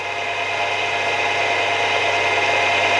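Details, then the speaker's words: Milling machine spindle after replacing taper roller bearings and setting preload and end float, run at high speeds: steady even hum with no rumble, growl or ticking; previous noise gone, normal spindle running. "and yeah i'm pretty happy there's no noises there so i'm just gonna have to see how that gets on over the next few weeks and hope that noise doesn't come back"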